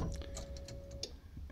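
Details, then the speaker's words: VW Beetle with Subaru engine swap on MegaSquirt: faint steady hum with light ticks for about a second at key-on, normal fuel pump priming before starting. "was the fuel pump priming and we'll start it let's see if it starts"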